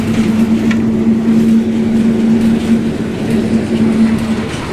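A steady mid-pitched whine holds over the road rumble while driving; it points to gear noise in the drivetrain. Cause suspected, not confirmed.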